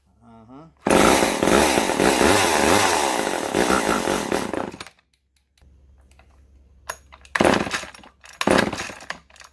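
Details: Vintage Poulan S25DAV (Super 25) chainsaw, first start after fuel line replacement and cleanup, no top cover or air filter yet: raspy, high two-stroke buzz holds about four seconds, drops away, returns in short bursts, blowing plenty of oil; starts and runs.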